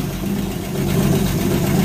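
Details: 1946 Power Wagon restarted after repair work: smooth, even low rumble with a steady beat and no misses or knocks; the old engine idles cleanly; normal idle.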